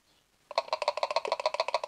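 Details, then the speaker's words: 2013 VW Amarok 2.0 L diesel secondary/EGR coolant pump, removed and hand-shaken: loose rapid rattle, about eight clacks a second, versus the dead-quiet new one; worn or broken-up impeller straining the motor. "you can you can clearly hear that it's fallen apart inside or worn out and of course that's going to put extra strain on the motor"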